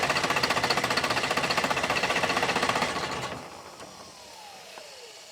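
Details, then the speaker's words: Old sawmill wheel loader diesel, sat 20 years, cranking at a steady even rate of about 220 per minute without catching, then winding down; a lot of air in the fuel system starving the injectors, fuel just starting to reach one. "We're getting some to the other one now. All right. Yeah, it just got a lot of air in it, I guess, huh?"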